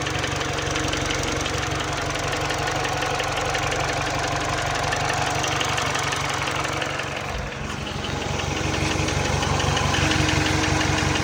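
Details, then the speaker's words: Mini Cooper R56 base with original N12 engine, 160k miles, at hot idle: steady light knock about four beats a second, louder on cold start, harder to hear at higher rpm; owner suspects piston slap. "it's a pretty annoying noise to be honest with you at idle especially when you hear when you increase the RPMs it's definitely harder to hear"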